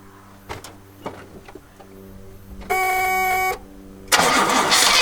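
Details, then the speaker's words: 1969 Oldsmobile Ninety-Eight with a 455 big block, sitting for 26 years, cranked after a new coil and a primed carburetor bowl: slow cranking, then a brief roaring catch before dying. A carburetor issue is suspected. "sounded promising there for a second might have a carburetor issue"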